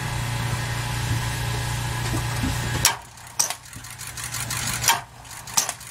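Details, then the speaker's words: 2006 Ford E-450 Super Duty, 6.0 V8 diesel, battery at 12.3 V: low strained whir about three seconds, then isolated clunks as the engine barely turns; starter burned out from prolonged cranking, failing. "so try to turn it over two times you can tell it wants to turn but not much has happened in there"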